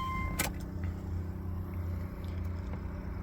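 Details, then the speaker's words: 2006 Subaru Legacy 2.5GT (Canadian car, turbo, strictly maintained), key-on: a click, then a low steady hum from the in-tank fuel pump priming before cranking. This is a normal fuel pump prime cycle. "fuel pump cycle"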